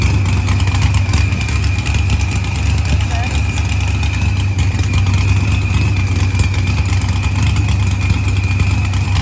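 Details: Green Challenger with a supercharged LS swap, idling after head gasket and fuel pressure sensor repairs, firmware update and a fuel trim. Deep steady V8 idle with an even low rumble and a brief rev blip; healthy and settled.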